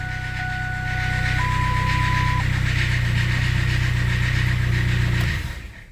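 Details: Machine fired up after the corroded battery-to-starter positive cable was bypassed: steady low engine rumble with no misses or knocks; running normally, positive cable to be replaced.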